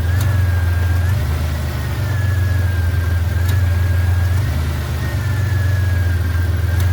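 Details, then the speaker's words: 1991 Buick LeSabre at idle, being converted from R-12 to R-134a: the AC compressor has just kicked on during charging, clicking and spinning with a low hum that swells as it cycles. Normal compressor operation. "You hear it clicking and spinning. That's what we want."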